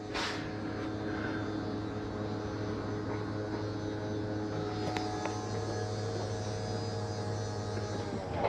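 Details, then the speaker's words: 2022 Bighorn 37DB fifth wheel, bedroom slide-out coming in with path checked clear: constant smooth motor hum for several seconds, no straining, grinding or clicking; slide motor working normally. "again I went in the bedroom made sure nothing was in between my bed and that dresser but all the drawers were closed nothing was going to impede that slide from coming in"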